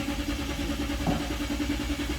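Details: 2010 Nissan Patrol, position sensor unplugged to reproduce the fault: steady, even starter whirring with no firing or pickup; cranks but won't start, position sensor signal missing.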